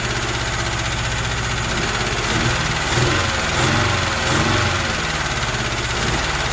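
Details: UZAM 2.0-litre engine with twin Solex carburettors and a 78 camshaft, owner-built, first start with no tuning: lumpy idle that surges and sags every second or so; the jets later turned out to be all different sizes, leaving the mixture uneven.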